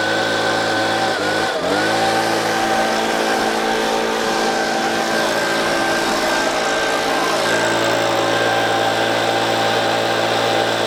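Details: Two-stroke leaf blower at full throttle after the clogged spark arrestor screen was cleared, steady strong high-revving note without bogging or surging; before, it bogged down with about 25% power.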